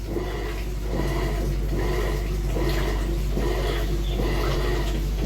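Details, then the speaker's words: Electrolux washing machine after its blown drum bearings were replaced: a steady motor hum under rhythmic water sloshing with no growl, rumble or grinding; it now runs normally. "trocamos aí o rolamento dela tá funcionando normal agora"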